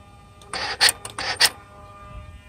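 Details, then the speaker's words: Mercedes SL600 with an overhauled throttle body, ignition on and engine off: two quick motor whirs, each ending in a sharp click, as the driver's-side throttle actuator cycles; the throttle plate snaps open and shut cleanly. "so here is the noise from the driver's side so you hear the driver's-side just made it just went through"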